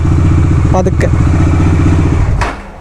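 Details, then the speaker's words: Bajaj Dominar 400 that sat about a month after its battery died, cranked after the battery was replaced: low, labored chuffing at about four a second that drags and fades as the engine turns over sluggishly. Low battery charge is suspected, not confirmed. "ഇതൊന്ന് battery charge കുറവായിരിക്കും. Battery down ആണെന്ന് തോന്നുന്നു."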